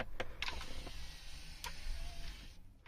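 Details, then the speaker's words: Audi A6 C7 MMI display fold motor after lubricating fold mechanism with silicone grease and metal guide rail with PTFE grease (was crunching on closing): soft even hum, light clicks, no crunch; normal quiet operation. "все очень тихом"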